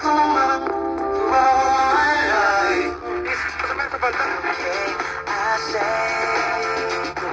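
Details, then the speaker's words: Vintage Realtone AM/FM all-transistor portable radio, tuned to an FM station: music full and clear with no hiss, crackle or fading, unlike a poorer earlier station; clean FM reception. "There's channel 6, which is now just FM only. Guess that sounds pretty clean."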